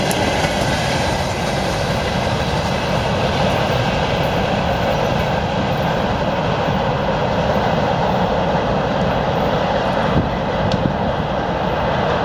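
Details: 2TE116 diesel locomotive after repair: steady, even rumble with rail clatter and no knocks, grinding or squeal; runs smoothly and sounds healthy.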